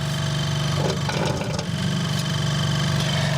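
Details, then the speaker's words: Vintage Westinghouse fridge after fitting homemade split rubber mounts with rubber washers under the compressor: even low hum with a steady buzz, no rattling against the frame; much quieter than before, normal compressor running. "not too bad anyway it's quiet enough yeah bro it's definitely better than what it was much better than what it was"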